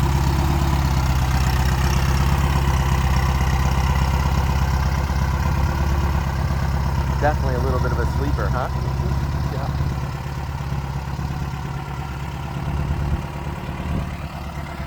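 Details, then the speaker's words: 1970 VW Beetle, restored, turbocharged 2180cc flat-four, 4-speed manual: smooth, even low thrum at steady idle, no knocks, ticks or misses; healthy, Porsche-like sound. "Man, sounds good, huh, fellas? Really good. I love the sound. Me too. It's not like normal. Nothing like it. It's such a Porsche sound."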